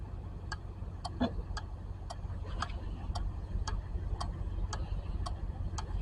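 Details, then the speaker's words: 2008 Honda Civic no-crank no-start, four-pin starter relay on a relay tester: crisp, evenly spaced clicks about three per second, each clean and solid; the starter relay is good. "all right sounds like the relay is good let's try again one more time all right the relay is good"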